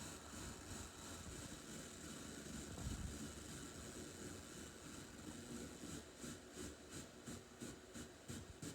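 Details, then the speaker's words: Heathkit AR-15 solid-state receiver under repair, FM, left channel only, test leads on FM IF: steady hiss with a rhythmic throb about three times a second, pulsating audio persisting across channels; owner suspects it needs an alignment, fault not confirmed. "sounds like it needs i hear that hear that beating sound and it sounds like it's going to need an alignment"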